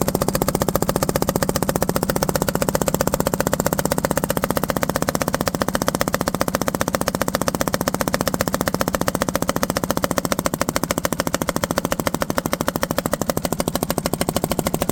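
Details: Tow-behind mower with its own engine, five-foot steel deck: fast, uneven popping chuff and rough firing as exhaust blows back out the carburetor.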